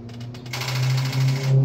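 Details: Car that won't start in the mornings unless push-started or jumped: starter gives a short struggling groan with rapid uneven pulsing and no catch; owner suspects a weak battery rather than the starter motor; weak battery starter clicking.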